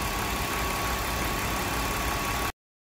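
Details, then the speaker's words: 2001 BMW 325i 2.5L at idle after repairing vacuum leaks, including a torn throttle body hose that caused cold-start misfires on all cylinders and a rough idle: steady, even hum with no shake or misfire. Now normal; the purge valve is still faulty. "so I have repaired the V the vacuum um leaks the V is rning smooth there's no more shaking no W no more wough idle"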